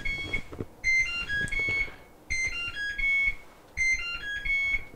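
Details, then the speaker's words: Whirlpool WTW5610XW3 top-load washer, serviced for loud banging complaint, plays its electronic end-of-cycle tune after completing the whole test cycle; display shows done, no flashing lid lock error. "so it completed the uh the whole test cycle with the little song there and then you can see it says done"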